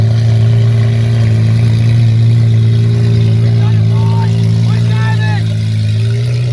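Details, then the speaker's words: Ferrari 812 Superfast V12 after crash rebuild, driving slowly about 10 mph in first gear: deep, smooth, even drone under light load, no knocks or ticks; engine runs normally. "But man, this thing sounds properly good."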